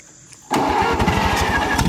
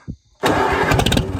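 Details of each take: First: 1945 Allis-Chalmers WD 4-cylinder gas tractor, sat for years, choked, carburetor cleaned as best possible: cranks, catches, runs a few seconds with uneven fading firing, then dies; fuel starvation, carburetor plugged, likely rust and water as in the fuel tank. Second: 1945 Allis-Chalmers WD 4-cylinder gas tractor, sat unused for years, after clearing a rust-filled fuel line and freeing a stuck throttle: engine catches abruptly and settles into a solid, continuous run with no misses, running properly.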